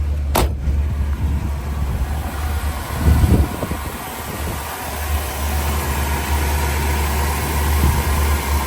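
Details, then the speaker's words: 1976 Pontiac Grand Prix Model J, 350 V8, Turbo 400 transmission; deep even burble at low steady idle after kicking down the fast idle, one brief throttle blip, no misses or knocks; super smooth, normal idle. "Super smooth."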